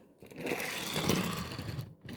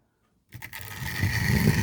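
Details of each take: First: Old wagon with deep flanges on Tri-ang/Hornby model track, Series 3 and Super 4 joined by converter rail to System 6: a gritty rumbling clatter in short runs as it rolls. The wheel flanges are hitting the rail chairs. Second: Newer loco with shallow flanges running on Tri-ang/Hornby track off a controller: silence, then the motor whirs up to a steady, even hum with no rumble or stutter. It runs smoothly, unlike old stock whose deeper flanges hit the chairs.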